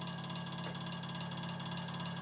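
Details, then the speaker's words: Early-1950s Vornado Jr. two-speed table fan, running on high; motor believed burned with shorted windings, runs about a third of its speed: steady rough hum with rattly buzz; noisy worn fan motor needing a rotor rewind. "We'll start it up on high. So yeah, quite noisy."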